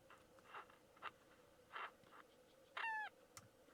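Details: Old transistor radio: faint chirps and a short falling bird-like squeal when switched on and off over quiet hiss; cause uncertain.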